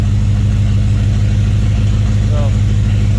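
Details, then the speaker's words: BMW E34 530i touring swapped to M60B40 V8 and 6-speed manual, off road 7 years, after replacing a part suspected fried with open circuit fault to improve idle: steady, even idle, smooth low beat, no hunting or stumble; normal idle. "i don't know if you can hear me but it seems to be idling great"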